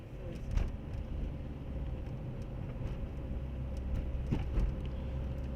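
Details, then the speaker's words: Renault Megane 2 1.5 dCi on a road test after steering rack and control arm replacement, wheel turned side to side: steady low engine and road rumble, with no clicking or knocking left. "müşterimiz uzak yola gideceği için azami dikkatle test ediyoruz aracımızı müşterimiz yolda kalmasın Herhangi bir sıkıntı yaşamasın mağdur olmasın diye triger Değişimi de yapıldı aracımıza yağ bakımımızı yapıldı ya kaçakları vardı Turbo arkasında onları tespit ettik onlar da giderildi alt takım güzel bir problem yok hiç"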